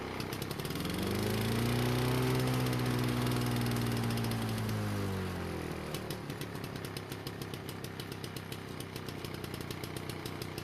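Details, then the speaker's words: Lawn-Boy mower after replacing a badly damaged brake cable (wouldn't start): engine catches, pitch swells then settles into a steady, regular firing beat with no misses; briefly flooded but cleared, running normally. "no I didn't make a mistake by flooding the engine when I was taking off its stand when I was filming it but it did eventually clear up and everything worked like it was supposed to"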